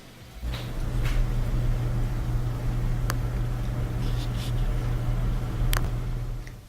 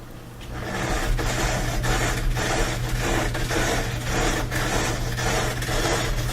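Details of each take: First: Bosch dryer after removing a small Phillips screw caught between the drum and front bearing that caused metal scraping: smooth even drum hum, no scraping; normal dryer operation. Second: Bosch dryer: metallic scrape repeating about twice a second with each drum turn over a steady motor hum, caused by a screw caught between the drum and the front bearing; fixed by removing it.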